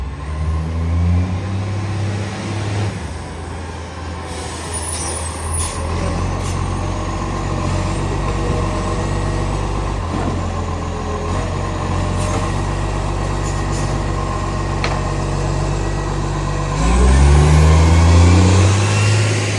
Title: NPSP Garbage - 91 Exhaust Leak